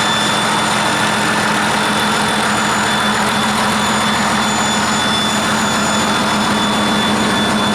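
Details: 1959 Caterpillar D337F diesel genset, about 959–960 hours, long stored in a barn, run after revival, no load, barely up to operating temperature: steady even drone with constant high whistle, no knocks or misses; runs well.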